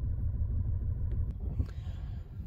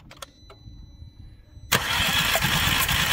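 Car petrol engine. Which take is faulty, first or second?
first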